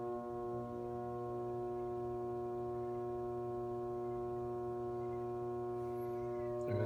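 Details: Whirlpool Cabrio washer with lid lock flashing: steady droning low hum while the drum never moves on; washer stalls at load sensing because the load-size sensor motor failed, as a technician determined, not the lid lock.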